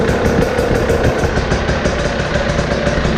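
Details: Husqvarna TE 300 TPI two-stroke dirt bike after the fuel pump filter was replaced with an OEM part during winter maintenance. Crisp, slightly uneven idle popping about three beats a second, no knocks or rattles: normal idle.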